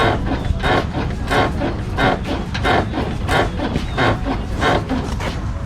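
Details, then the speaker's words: 2001 Dodge Dakota front end bounced by hand: a rubbery squeak-creak about one and a half times a second from worn front sway bar bushings, also heard over road dips. "so hopefully you guys could kind of hear that squeaking that as it bounces up and down"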